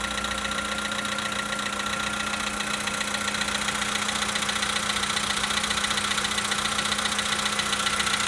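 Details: 2013 VW Polo Sedan Sochi Edition, 65,000 km, cold-start idle: a regular light knocking, roughly four per second, over the engine hum; cause unknown.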